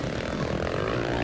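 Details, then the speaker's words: 2001 Australian 500cc motocross GP, works Yamaha accelerating out of a turn: a hard, raspy roar with a coarse, spitting edge; the commentator suspects an exhaust leak from a cracked titanium pipe or a joint, not confirmed. "you can hear it really there like an exhaust leak. Sometimes titanium pipes can get a bit of a crack in them or a fracture, and it's just leaking out of one of the joints or where it's bolted on somewhere."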